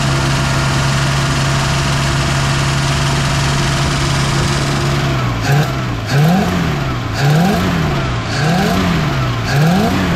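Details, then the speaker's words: 1959 Oldsmobile Dynamic 88 V8, sitting for years, first run at idle with throttle taps: exhaust manifold leak from a broken bolt, puffing tick, intermittent misfire on one cylinder; loud lifter ticking also present. "you guys hear the exhaust leak down there too we got a broken bolt and you can hear it's missing on one cylinder it's not hitting it the whole"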